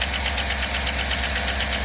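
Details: 2008 5.3 V8, started totally cold, oil pressure 40; fast light ticking over steady idle tracking engine speed from collapsed hydraulic lifter letting valvetrain clatter, a common problem on these engines.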